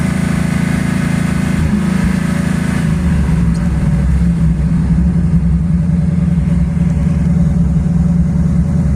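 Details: 1984 Ford Mustang 5.0 V8 idling unevenly, lumpy and stumbling about three or four times a second: misfire from failing 12-volt primary ignition circuit, pickup coil; ignition module already failed.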